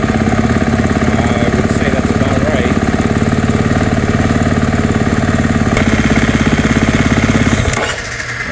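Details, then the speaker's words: Dirt bike that repeatedly stalled on a desert ride, restarted after TPS adjustment with idle set around 2000; uneven lumpy idle hunts, then stumbles and dies. Owner suspects idle needs setting higher as it warms; cause not confirmed. "I didn't like that. Oh, still problems."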